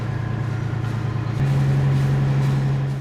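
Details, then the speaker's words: Marine diesel under load in forward gear at cruising RPM, after a grinding-transmission episode fixed with about 12 pints of transmission fluid and a replacement cooler; steady, even drone with no grinding or clatter, gearbox healthy. "So we'll try it in forward now. So there's cruising RPMs. Sounds good."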